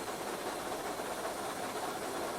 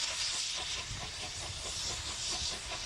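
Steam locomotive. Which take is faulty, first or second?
second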